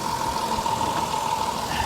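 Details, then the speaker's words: Vehicle at a Copart salvage auction with third-row seats, noted for a slight misfire possibly from low fuel, heard under the hood: quiet, steady, even idle hum with no knocks or ticks, running very well. "let's check under the hood see how she's doing it's it's quiet listen to this she's running very well very well"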